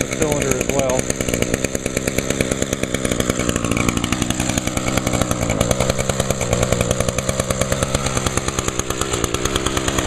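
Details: Echo two-stroke string trimmer, started on choke with primer pulls; smoky at first, has an i30 recoil starter. Crisp, even buzz holding a steady high speed without stumbling or surging: normal running.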